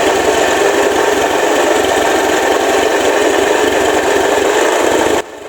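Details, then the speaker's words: Honda Vario ESP scooter at low throttle, starting easily but stumbling after 20–30 seconds running: uneven chopped pulses that cut out, occasionally stalls; injector and TPS already replaced, fuel pressure and charging normal. "Nah jadi seperti itu ya teman-teman suaranya jelas sekali putus-putus ya nyendat-nyendat"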